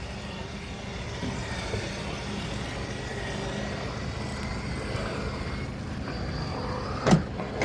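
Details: 2014 Keystone Springdale 320 fifth-wheel trailer: steady, even electric motor drone holding one pitch, then a couple of clicks as it stops fully retracted; normal slide-out motor operation.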